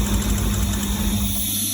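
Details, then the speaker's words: 1985 Porsche 928S V8 after replacing the fuel injectors, running with the air cleaner off. When an injector connector is touched, the rough idle suddenly sags and the engine stalls. Something is wrong with that injector. "And then it kills. So something's going on with this injector."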